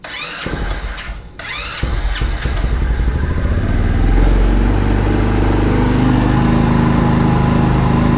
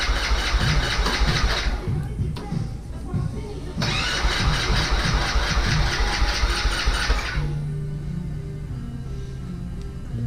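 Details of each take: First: Vader 125 Grom-clone motorcycle, first start after disassembly, idle screw turned way down, on choke; a few stuttering cranks then catches into steady fast even idle; normal start on choke. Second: Vader 125 Grom-clone carbureted bike, first start attempt with choke up, compression present and fuel pressure felt: two long bursts of steady starter churning that never catch. Crank no-start, cause not confirmed.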